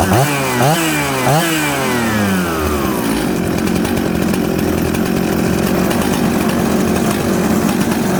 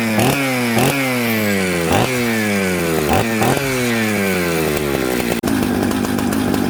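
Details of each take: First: Jonsered 630 Super / Husqvarna 266 mixmaster chainsaw after opening the high jet back slightly: it blips crisply, idles steadily and revs cleanly, running well. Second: Mixmaster chainsaw built from Jonsered 630 Super and Husqvarna 266 parts, just started on choke: each throttle blip bogs and burbles before climbing, then sags unevenly; smoky and rich off idle, fixed by turning the low jet in.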